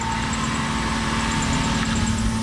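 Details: Toyota Supra after a cooling system rebuild (new water pump, thermostat, coolant), fully warm with the fans running: a smooth, even idle with a steady low hum and no knocks, ticks or squeals. Healthy, though small leaks are seen, some thought to be from the radiator top.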